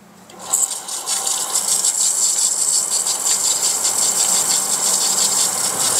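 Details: Semi-jet water pump with Shimizu APC pressure switch, drawing 1.9 A with tap open: starts after half a second into a steady high hiss with thin constant whine; runs smooth and healthy.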